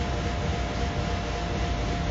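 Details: Shop waste oil furnace being restarted after oil dripped into the box overnight with the compressors off, leaving the chimney stack full of black soot: steady choked, howling roar from the burner while the soot blows out; restricted flue.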